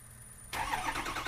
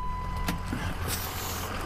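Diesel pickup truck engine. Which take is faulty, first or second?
first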